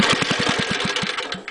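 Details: Small go-kart engine at full throttle, wound up on the throttle: firing pulses come unevenly with dropped beats and gaps, stuttering and missing; owner thinks it will clear up as it runs.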